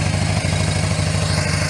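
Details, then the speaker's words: Harley-Davidson FLHS Electra Glide V-twin just started on choke, after repacking empty mufflers with fiberglass: loping even idle with soft deep mellow exhaust, noticeably quieter, edge gone, no rasp or ticking; healthy. "I like it. It's noticeably quieter. I don't want a window rattler. See, it's got a nice mellow tone, and it just took some of the edge that was on it off of there."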